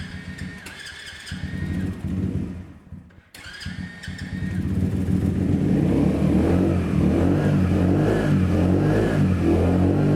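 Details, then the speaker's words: Yamasaki YM50 RE with a Dellorto electronic carburettor, first cold start of the day: light regular clicking about four times a second as revs rise toward a roughly 2000 rpm ready idle; this is normal cold mixture adjustment. "can you hear that clicking that clicking is part of the electronic fuel in electronic carburation and it just changes the mixture to try and get the bite ready for you to ride"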